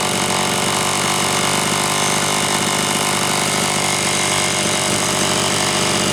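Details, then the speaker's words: Homelite Super XL chainsaw (brought in for boiling fuel and overheating) on test run after starter spring fix and replacing a bad new spark plug; loud steady full-rev buzz, no sagging or surging; high side set slightly rich on purpose to warm it up; running cleanly. "okay oh man she's just a tiny tiny bit Rich still on the high side but I did that on purpose that way I could run it pegged like that to try and warm it up a little bit"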